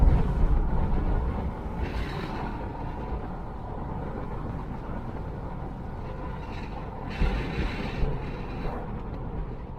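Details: Hummer on a road drive after frame replacement repair: smooth, even road rumble over light bumps with no knocks or clunks, so the suspension sounds solid.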